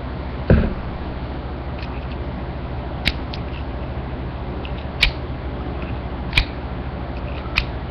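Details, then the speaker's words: Original three-way guitar toggle switch from the Supreme, held by the microphone: sharp, crisp, clean clicks every second or two; the switch still works well and is being replaced only because one solder leg is damaged. "And it's still a very good part in that you can really hear this thing work."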